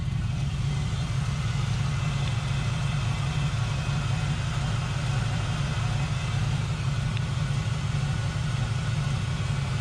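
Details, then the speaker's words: Turbo LS-swapped Mazda RX7 FD (light turbo cam, small LSA) at idle: an uneven, choppy lope. Cylinder 1 is misfiring or running very poorly, cylinder 4 runs cool (155 vs 190 degrees), and a coil swap didn't fix it; traced to the injectors. "all right guys so first things first you hear how choppy it is it sounds good admittedly but it shouldn't be that choppy"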